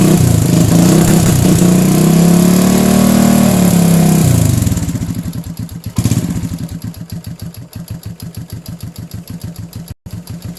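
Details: Motorcycle after carburetor repair for fuel leaking from the overflow, with float needle adjusted: a rev drops to a steady, even thump of about four beats a second with no stumbling; runs healthy, normal running.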